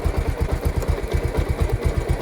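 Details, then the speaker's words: Pulsar motorcycle at idle with gear engaged, after chain cleaning/service: steady, even low single-cylinder thumping with no slap, rattle or grinding from the chain, sounding like a new chain with no extra noise. "এই sound no sound. একদম new condition. বাইকের যেরকম new bike হলে যেরকম new chain হলে যেরকম same to same sound. No extra sound শোনো তোমরা দেখতে পারলা"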